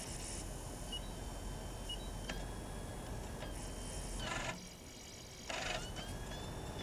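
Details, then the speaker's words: Magnavox ZV427MG9A (Funai) DVD recorder after bad capacitor replacement and cleaning, microphone close to the DVD mechanism: quiet spin-up whir, two short high beeps a second apart, soft seeking clicks; normal disc loading and reading. "so those are the sounds it should make when it's going to play correctly especially the two little beeps you hear out of it the uh boo-boo if it doesn't make those sounds"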